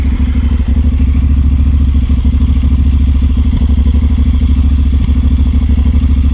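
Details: New 2019 Honda NC750X motorcycle at about 300 km, cold start: uneven, stumbling idle with irregular thumps and dropouts, a misfire; valve check found zero clearance on 5 of 8 valves.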